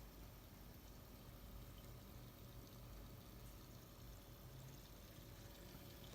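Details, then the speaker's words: Freshly refilled PC watercooling loop with new coolant, pump speed varying with CPU temperature after boot: faint steady trickling and gurgling under quiet pump hum; air still working through the loop. "there's a lot of air in the system so that makes a noise"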